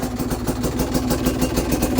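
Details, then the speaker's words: Cheap Chinese BNK two-stroke enduro bike, stock carburettor with re-jetting and newly fitted VForce reed valves: slow, lumpy putter at roughly seven pulses a second, just holding on; idle set a bit low but adjustable. "I mean, we're still idling a bit low, which you can up that, but have a listen to this."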